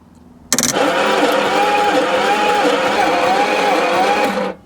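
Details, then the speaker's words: 1966 Ford Zodiac Mark III, abandoned for decades, during compression testing: steady starter whirr with a slow wavering rise and fall and no firing. Cylinder one reads 130 psi, but cylinders two and four read 50 and 40, explaining the hard starting. "okay so this can definitely help explain why I'm having trouble starting this car so cylinder one nice and healthy at 130 but just look at cylinders two and four got 50 and 40 PSI respectively"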